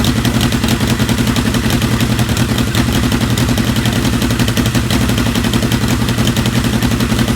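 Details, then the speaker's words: 1980 Kawasaki KZ650 with a new regulator rectifier; loud, uneven clattering run with irregular pops, sputters and backfires; a tune-up is thought to be needed; rough running with backfiring. "It's running a little rough now. You can hear it sputtering and popping and backfiring a little bit, but just needs a little bit of a tune and I think we'll be good to go."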